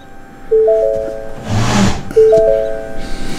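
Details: 2017 S550 Mustang that sat for months with a dead battery and won't start, now with a battery installed; owner suspects a lost tune or wiped PCM. Key on gives two sets of three rising dash chimes about 1.7 s apart, with door, hood, coolant temp and fuel warnings.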